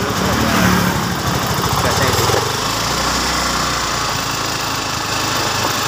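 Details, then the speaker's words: Scooter single-cylinder engine just reassembled after piston fitted and cam timing set (earlier rough sound, no power): quick steady idle, no knock or rattle, now smooth; normal idle. "Oke sobat semua ya sekarang untuk mesin sudah halus tinggal coba jalan"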